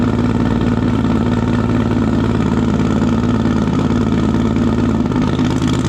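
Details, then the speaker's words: Civic build's engine with stock cams, boost controller and newly welded crankcase breather: a loud choppy idle with lumpy throttle blips, steady with no knocks or squeals. The alternator is working, the belt is tracking, and it sounds healthy. "so it sounds like it sounds like it's a lot it's not locked no it's not locked for sure it sounds Rowdy with stock cams"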